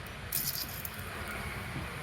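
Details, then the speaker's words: Hyundai Aura at about 200,000 km with gearbox humming: the removed gearbox bearing, spun by hand, gives a rough gritty rattle. The oil seal above it is broken, the bearing is broken apart and full of metal particles, and it needs replacing. "Sealed जो होता है उसके बाद bearing पूरा फूट-फूट के bulbs निकला है।"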